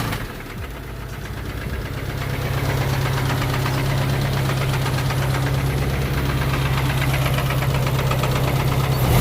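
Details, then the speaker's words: 1992 Honda Accord engine started after sitting seven years, idling in neutral before driving: loud, fairly regular knock about three per second over a rough idle; owner thinks it almost sounds like the cams; engine knocking at idle. "Haven't driven it yet, but listen at this. Don't know what that is, but that sounds very bad."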